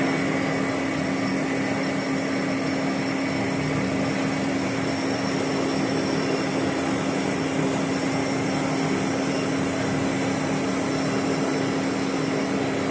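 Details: Boring the Volvo axle for a repair sleeve at 20 RPM, tool just made contact: constant humming buzz with a thin high ring throughout the cut, tool chatter, a hundredth to go on depth; factory surface was similarly chattered.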